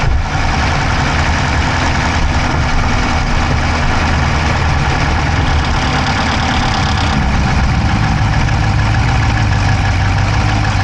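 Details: Dodge Charger Hemi V8 at steady idle, recorded inside the driver's-side engine bay: a fast, light, even ticking on top. No exhaust smoke, so the owner doubts a dropped valve; source still unknown.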